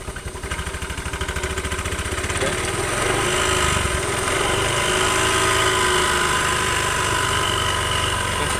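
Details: Scooter with damaged CVT rollers, noisy and reducing performance, needing replacement: engine revs up from an uneven idle into a steady run with a rough rattling drone underneath; worn CVT roller noise.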